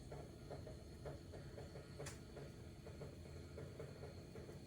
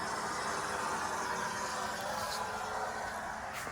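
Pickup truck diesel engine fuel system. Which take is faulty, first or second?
first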